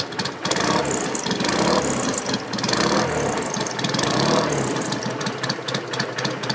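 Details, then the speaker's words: 1963 BSA Rocket Gold Star, warm engine at tickover: lumpy, even twin-cylinder beat with no knocks, rumbles or misses; healthy idle. "a tick over she's got a nice sound this one actually does Twitter"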